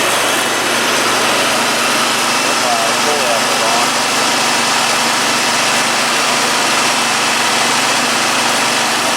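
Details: 72-inch Dixon mower, 1200 hours, after deck pulley repair and ignition coil fix for intermittent misfire: steady even small-engine idle with constant high-pitched buzz, no misses, surges or knocks; running cleanly.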